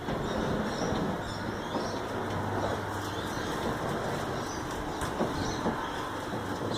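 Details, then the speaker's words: Roller door motor running after the squeal fix, with a steady low rumble and no squeal, birds chirping outside. "so, quiet as a church mouse, so that's for all the doubters out there that this doesn't work it does"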